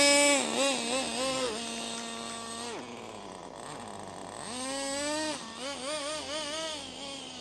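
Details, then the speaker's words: HPI Racing MT2 4WD nitro RC truck, cordless-drill started after the rotary starter burnt out: shrill buzz swooping up and down, idling better but still high; owner may replace the throttle linkage. "Well, it's definitely idling a bit better. It's still idling quite high, but I'm happy with it."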